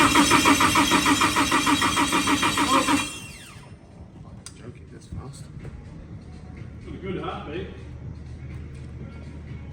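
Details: Nissan S14 Silvia, freshly rewired build, first cranking before first start, timing not yet set: even starter cranking about 200 pulses a minute, strong regular rhythm for three seconds; good compression.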